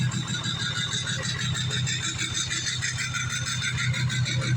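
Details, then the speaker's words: 2004 6.0 Powerstroke diesel, in for crank no start (burned starter replaced with 6.7 starter, started on ether); rough uneven idle stumbling about three times a second; power balance shows cylinders 2–6 bad, worsening; injectors failing, needs a set. "Now it looks like it's starting to lose injectors. So it needs a set of injectors."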